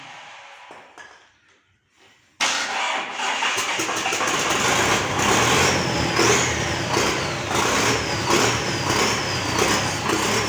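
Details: GAZ 3309 with D-245 diesel started after repair: starter cranks briefly, then it catches and settles into a steady, even clatter with no misses; normal start and idle.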